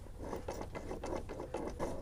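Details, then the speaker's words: Worn main input shaft bearing from a Honda EK Civic transmission, removed after a blown input seal leak, gives a rough, gritty ratcheting crunch in uneven bursts when turned by hand. "And it's not supposed to be smooth when you roll it or make that grinding noise."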